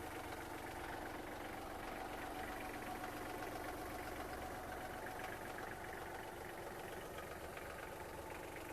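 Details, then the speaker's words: Kubota GL27 diesel tractor, fully serviced with fresh oils, filters and fluids, started in neutral: engine catches at once and idles with a steady, even diesel clatter, no misses, surging or smoke; running smoothly. "трактор завівся з півоберту двигун працює Дуже рівно не димить не"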